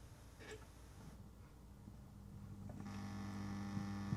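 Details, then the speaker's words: Vacuum tube amplifier cold start after about an hour off: low steady mains-type hum and buzz through the speaker instantly at switch-on; earlier buzz changed when wiggling V5, suspected dirty valve sockets needing recleaning. "Uh, so we'll give it a cold start now. Um, and let's have a listen. Instantly buzzing."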